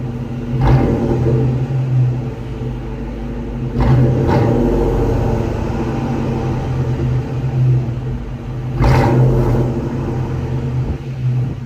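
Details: 2000 Ford Mustang GT after a new clutch cable install, recorded from the rear at the owner's homemade hack-job exhaust: low V8 rumble with three quick clean throttle blips, no popping or rattles; normal revving, modified exhaust.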